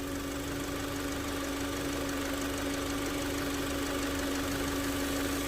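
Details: Kia Sorento petrol engine at idle with water poured on the belts: steady even idle, no belt noise; previously wet belts caused noise and battery light.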